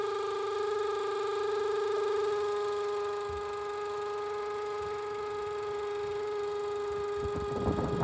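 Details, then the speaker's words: Range Rover with check engine light: a steady high whistling howl over the running engine, unchanging with speed, loudest mid intake manifold (belt quiet); vacuum leak from a broken, collapsed PCV hose routed to the intake manifold. "ha una manguera rota que está metida por entre el centro del múltiple misión"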